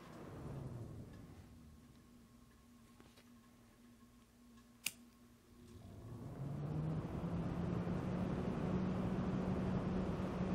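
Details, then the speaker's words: Alphacool Eisbaer 280 radiator fan (be quiet-made) plugged in: after quiet seconds it spins up to a smooth even hum with no rattle, unlike the rattling Cooler Master fan; healthy. "I'm going to plug in the Alpha cool fan now and I want you to listen to this big difference you notice no rattle"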